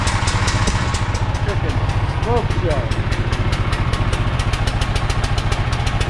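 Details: Briggs and Stratton 5,000 W generator that sat in a field, after ultrasonic carburetor cleaning, started by hand: single cylinder runs at fast even beat with exhaust rasp, smokes: normal running.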